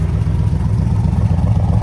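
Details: 1965 Chevrolet Corvette L76 convertible, 327/365hp V8, fresh body-off restoration under 30 miles, cold start after about two weeks sitting: deep, even burble at idle through factory side exhaust, steady rhythm, no knocks or misses; normal idle.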